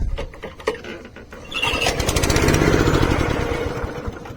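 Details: 32-year-old Honda HR214 lawnmower on full choke: fires and runs in a short rough burst, then dies after a few seconds; starts then stalls; carburetor suspected because the float bowl fills slowly, earlier fuel filter suspected, not confirmed.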